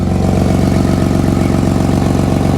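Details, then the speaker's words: Nissan Skyline R33 RB25DET at idle after about 5 minutes of steering during a power steering fix: the pump is silent, and fast, even puffing pulses in time with the firing come from an exhaust leak. "We've heard no noise from the power steering pump. All the noise is coming from the bloody exhaust leak."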